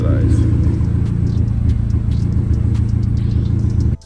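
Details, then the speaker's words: Audi A3 8P petrol engine at idle, after a cylinder head rebuild and spark plug change. Low idle rumble with an uneven, stumbling beat that never settles; still misfiring, cause unknown. "oh no we're still misfiring well that's great let's see what"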